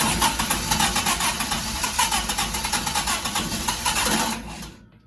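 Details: Sunbeam Alpine with a newly installed WOSP high-torque starter, before the fitment problem showed up. Even, clean cranking pulses about four a second with no grinding or clash, then fading out; a normal healthy start.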